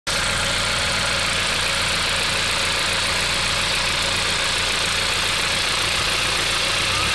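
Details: VW Golf IV 1.8T 150 hp AGU petrol at idle: busy metallic clatter from under valve cover, louder as revs rise; owner suspects camshaft connecting chain, cause unclear.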